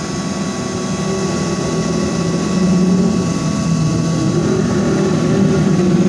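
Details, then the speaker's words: IGBT inverter welder being serviced after total failure and short circuit; PSU main voltage 25 V stable, 15 V rail normal; the cooling fan spins very fast with a steady whirring hum and even airflow rush, no rattle or grinding; fan running normally. "karena lumpurnya lagi pas juga muter kenceng bianget Bu Yani Hai kedengeran ya Bunyi kipasnya"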